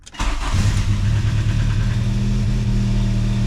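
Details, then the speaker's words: 1987 VW MK2 Jetta just converted from 3-speed automatic to 5-speed manual, first start with spliced starter wires: quick crank, catches at once, settles into a smooth steady low hum, no misses; clean healthy start. "The Mark II starts every time. No problem. No more automatic. The car is officially a manual."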